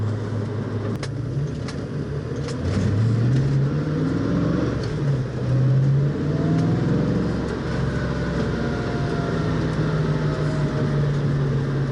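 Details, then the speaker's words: 1966 Mustang on a speed-bump road, testing for bump steer after reworking the Total Control Products upper control arms, whose rod ends had galled. Steady road rumble and engine note with no clunks or knocks; the front end sounds tight. "steer yeah it's pretty good notice it's not clunking"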